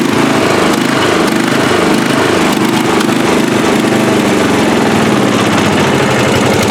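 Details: Free riding mower, engine test after gas tank was drained and fuel added; it had been flooding before starting. Single-cylinder engine chugs steadily under a rough, rattly mechanical clatter, running evenly without stumbling or surging: normal running.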